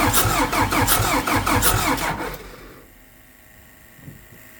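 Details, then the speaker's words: Hyster R80 forklift diesel no-start after running out of fuel; steady cranking about three pulses a second, never catches; injectors set to 3,000 PSI but the injection pump isn't making enough pressure to open them, internal pump fault suspected. "And the pump is not making enough pressure to open them. So, there's something going on inside that pump."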